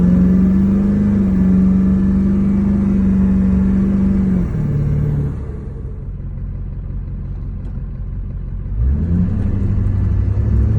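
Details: 2003 GMC 2500HD, LB7 6.6L Duramax diesel with bad injectors (all eight later replaced): rough, rhythmic clatter at idle that sags, then climbs again on throttle; misfiring injector fault.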